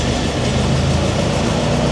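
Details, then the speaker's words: Roughly 100-year-old Ford Model T, first start after sitting for years, switched from 6-volt battery to magneto ignition after spark and fuel adjustments: even, steady low chug with no stumbles; runs smoothly. "and you can see it smoothes out because on battery we're only running at 6 volts but on Magneto we can do way more than six this is great news"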